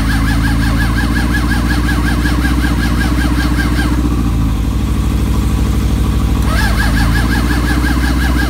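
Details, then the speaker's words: Suzuki GSX600F with a cold-start problem, battery charged from another bike: steady rhythmic cranking with no firing; carburetors soaking wet, owner suspects too much fuel flooded it and plans to check the spark plugs. "unfortunately the carburetors are soaking wet and they don't want to really fire up. So I have to take a little bit more investigation what's going on."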